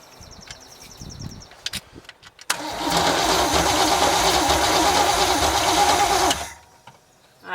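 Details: 1973 GMC square-body truck with a small-block Chevy (marked 350), parked since 2001, cranks steadily about four seconds with even compression beats but never fires; no spark, and a new distributor was fitted afterward.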